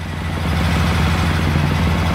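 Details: 2007 Suzuki KingQuad ATV that had died, after a new spark plug: steady, even low single-cylinder thump at idle with no misses or knocks. Normal idle; the old spark plug was the fault.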